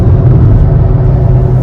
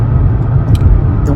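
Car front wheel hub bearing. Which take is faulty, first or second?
first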